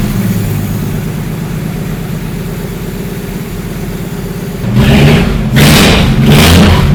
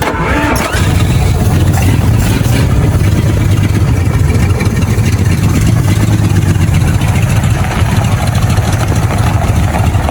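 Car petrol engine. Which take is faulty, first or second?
second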